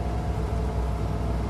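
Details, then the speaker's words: 1972 International 1210 V8 after intake gasket vacuum leak fixed: long uphill pull, throttle held then hit, deep steady roar with no stumble or fade, engine eager, fuel delivery keeping up; normal full-throttle pull. "Not adjusting the gas at all. Hit it. Oh, it wants it."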